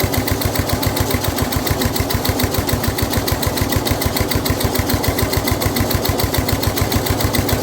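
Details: Snapper rear engine rider, Briggs 12 HP single-cylinder, abandoned for years, new carburetor: steady low chugging, a little laboured, as mower blade turns when it shouldn't; runs well otherwise, blade load made starting hard.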